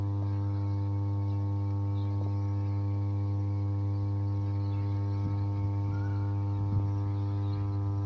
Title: Switchyard of "33/11 KV SUBSTATION" with 5MVA transformer humming sound